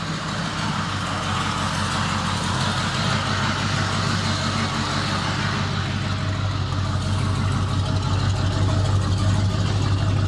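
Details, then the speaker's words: 1988 Chevrolet Silverado V8 with EFI kit, long parked, engine temperature 140: uneven stumbling idle with occasional dropped pulses; misfire, owner suspects bad gas, Sea Foam added, needs driving. "driving I can tell that she misfiring too boy that bad gas I put some C foam in it but it just needs to be driven"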